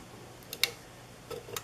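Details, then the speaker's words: 1980s Sanyo 132 cm ceiling fan, made in Japan: two pairs of faint light ticks with no firm snap as the pull-chain reverse switch is pulled; the mechanism is too weak to change over unless pushed fully by finger. "unfortunately it's a little bit it does work but it's it it won't work from pulling the chain here you see cuz the mechanism is not strong enough so when I pull it this is how it"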